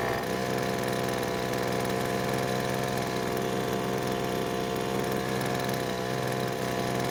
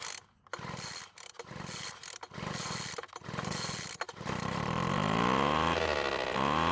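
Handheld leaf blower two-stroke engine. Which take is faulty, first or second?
second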